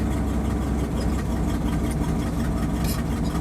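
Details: 1979 Dodge 100 carbureted truck, cold, just taken off high idle after a choke fix: low, even burble with no misses or hunting. Idles smoothly and holds without the stalling it had before the repair.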